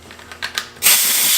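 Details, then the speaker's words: Mopar-engined boat, unused since 2017, on a leak-down test. A few ratchet clicks, then a steady sharp hiss as compressed air escapes past badly worn piston rings. The cylinder reads only 74%/74 PSI, a horrible leak-by, and the engine is coming out for rings and bearings. "Look at it, still only 74% or 74 PSI. So, I mean, what that means is the leak by is horrible."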